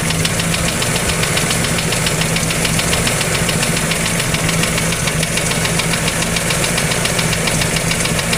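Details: Toyota 2E engine at idle: sharp, even ticking knock about three or four times a second, clear and persistent; an engine knock.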